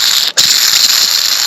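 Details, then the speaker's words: Cub Cadet SLT1050 riding mower ground-drive idler pulley, removed and spun by hand: dry, gritty high-pitched rasp that holds steady; it was very noisy at full engine speed under belt pressure, so the idler bearing is worn out. "I'll be surely can hear that but that's standing at full engine speed with the uh weight of the belt or the pressure of the belts on it that sure made a lot of noise"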